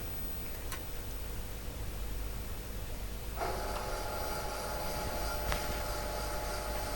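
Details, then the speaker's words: Mimi 801 vintage computer with drive ribbon cable connected: after power-up, a steady whine and faint hum as the drive motors spin up normally, then stop after a few seconds as expected. "the motors have started up we'll see if they stop they should stop in a few seconds if it's working at all which they have"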